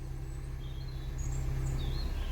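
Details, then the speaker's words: Vauxhall Corsa D interior blower motor after replacing the blower motor resistor, tested on speed one: quiet, steady low hum with no rattle or squeal; the fan works on all four speeds again, getting louder on each higher one. "coming through number two you can hear it number three here even louder number four nice and strong"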